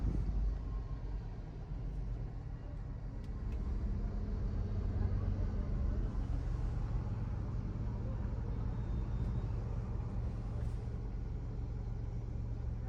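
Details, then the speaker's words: Petrol Tata Altroz, 46,000 km, over four years old, idling with AC off after the timing belt auto tensioner assembly was replaced: low even hum, earlier bearing noise gone; normal. "आप sound सुन सकते हो कितना कम है। मतलब normal है। अब अब वो एक्स्ट्रा जो साउंड आ रहा था बेयरिंग वाला वो नहीं आ रहा है।"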